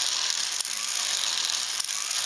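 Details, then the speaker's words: Ornithopter gear train, unoiled and untuned straight off the CNC machine: smooth high-pitched whir with a sharp click about every 1.2 seconds as the glide locks engage; normal operation. "and again that clicking is just the glide walk engaging isn't it in there to come up and then they drop down"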